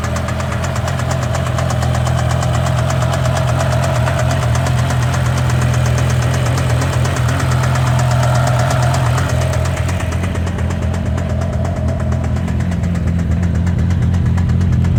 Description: BMW E60 M5 engine knock - any idea what is the problem??